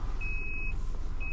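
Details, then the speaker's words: Maruti WagonR CNG taxi, head-mounted camera: steady high-pitched beep, about half a second on and off, repeating over the engine; GPS tracker panic/SOS alarm triggered, won't stop. "എന്നിട്ട് ഇങ്ങനെ emergency beep sound മാത്രമേ ഉള്ളൂ ഇടാ."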